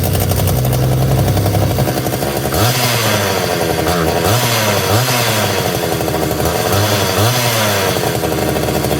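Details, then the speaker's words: Homelite Super 240 Classic chainsaw, two-stroke, unused over 20 years, very dirty, just unflooded with choke off: uneven popping idle that sags and surges as it struggles to keep running, making lots of smoke; rough struggling idle, but getting fuel, spark and air. "so definitely struggling to to idle a little bit but uh I mean that's pretty positive boy that made a lot of smoke too didn't it"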